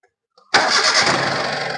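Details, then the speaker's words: Hyundai Eon with a no-start complaint, after repair (earth line suspected): quick crank, engine catches at once and settles into even idle; clean start. "Of ചെയ്ത് start ചെയ്തപ്പോൾ വണ്ടി correct ആയിട്ട് തന്നെ start ആണ്"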